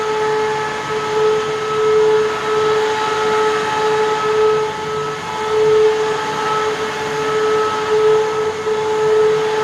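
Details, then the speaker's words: Eureka Whirlwind LiteSpeed vacuum switched on: loud steady motor whine with clear high tone and no beater brush sound; brushroll not spinning because its bearings are seized and need replacement. "i'm gonna turn it on but the brushroll won't be spinning so um this machine is rather loud so heads up"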